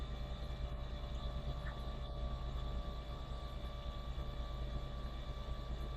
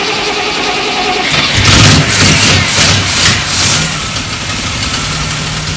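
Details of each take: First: Triumph Stag V8 unrun for about 15 years, cranked with the spark plugs out to build oil pressure, reaching 30 psi: steady, even starter drone with the engine spinning freely and no knocks or scraping; normal cranking. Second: Triumph Stag V8, first start after about 15 years unrun, carbureted: catches but runs with an uneven, stumbling, missing beat and won't respond to throttle because the accelerator pump jets aren't working.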